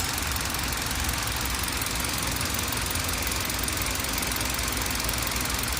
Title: Clunking Noise from Engine